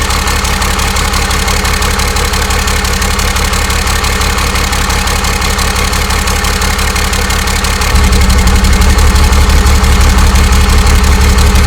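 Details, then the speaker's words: 12-valve Cummins converted to common rail, on its first start: loud, even diesel clatter at a steady idle, rising a touch toward the end, with no misses or knocks. A normal, healthy idle. "all right guys so there you go 12 valve common rail fired up and running you know what it sounds like"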